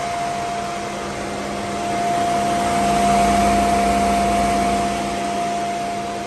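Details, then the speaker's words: Mercedes SL500 with 46,000 miles, just after its original ABC tandem pump was replaced by a standard power steering pump, fluid topped off: steady smooth idle hum with clean even whine, no moaning or growling when steering; healthy. "He's good to go, baby."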